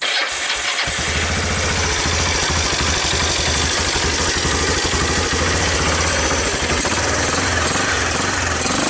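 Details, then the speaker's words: 2001 Kawasaki Bayou 300 single-cylinder, cold start on choke with little fuel, valve timing suspected slightly off: loping, uneven beat near three a second; rough running, owner plans to reset the timing. "do that ly sound that it has even though it's a cold start it's not warmed up it's really not ready to go it kind of always has that little bit of a ly sound"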